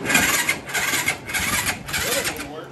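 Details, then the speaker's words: Yamaha YFZ450 ATV after full top and bottom engine rebuild, cheap new battery: labored, slow uneven cranking about twice a second with no catch; battery too weak, jumper to be tried; slow cranking from weak battery. "that ain't gonna crank that's why it's cranking so slow um i got my friend you see that jumper uh if this one don't do it we'll just try it this honestly was the cheapest battery they had at walmart"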